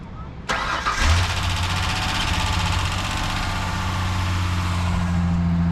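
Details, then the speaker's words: Rebuilt Ford Ranger 4.0 after plug wires were moved to the correct firing order; brief crank, catches cleanly, settles to an even, smooth idle. Earlier it apparently ran on half the engine, with a pop thought to be a backfire. "okay so what blows my mind is how did it run how did it run so smooth"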